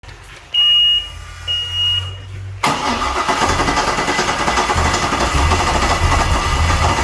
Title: 5.7 GSi hard starting